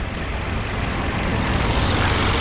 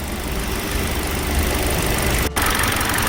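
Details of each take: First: Hyundai LF Sonata with cylinder 4 misfire code and check engine light, rough running at morning cold start: uneven idle with irregular stumble and shake; ignition waveform showed abnormal spark duration, pinning it on the cylinder 4 plug coil. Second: Hyundai LF Sonata with cylinder 4 misfire code and cold-start shake, after ignition plug/coil replacement and throttle body cleaning: even steady idle, no missed beats; scope and scan data normal.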